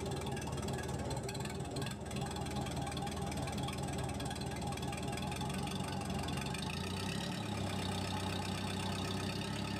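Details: Case 450D dozer diesel with Roosa Master fuel injection pump, after repairing the throttle linkage broken by a stump: steady, even slow deep chug with no speed changes; idle still too low.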